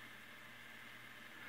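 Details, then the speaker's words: 1940s Westinghouse Mobilaire pedestal fan motor after repair with a new run capacitor, head wire and line cord, run on a variac at about 120 V: quiet, steady low hum with a soft airy hiss and no rubbing or clicking on the low setting; normal running. "you see it's turning fine nice and quiet and then that should be low yeah and slowed down"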